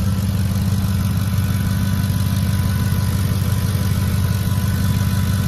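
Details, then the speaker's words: 2010 Ford F-150 idling under the hood, starts quick, low on fuel: smooth, low, even rumble with no skips, misses or stumbles; idles normally, pending a service check. "definitely sounds good not hearing any misses or anything still going to be checked out though through service"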